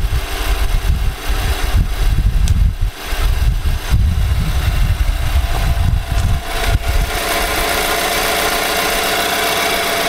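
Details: 2018 Nissan Armada petrol V8 before its short block was replaced, idling with a dense, diesel-like knock in the engine.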